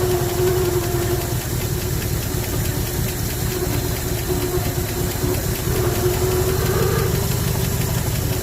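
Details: 1974 Ford F100 V8, parked 21 years with a formerly locked-up engine, earlier running on seven cylinders: uneven, loping, stumbling idle with a faint hiss after two vacuum leaks were fixed. A remaining makeshift-plugged vacuum leak is suspected, not confirmed.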